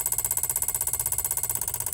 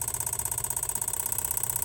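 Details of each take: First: Van EVAP purge solenoid under a scan-tool commanded duty test from 0–100% in 10% steps: sharp, even clicks about thirteen per second that stop at 100%. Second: Van evap purge solenoid commanded by scan tool in 10% steps: quick steady ticking, about twenty clicks a second, over quiet idle; new solenoid clicks the same, slightly quieter, so normal operation.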